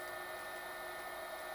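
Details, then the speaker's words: DIY single-phase-to-three-phase converter using a Huanyang 4kW/400V VFD on 230V mains: steady whistle of several fixed tones over soft hiss at low switching frequency (about 3 kHz); raising carrier frequency (parameter 41, e.g. 6 kHz) requires derating power. "the problem is if you increase the switching frequency of the inverter you need to download it because I think it only does full power at 3 kilos and that's when you hear that the whistling"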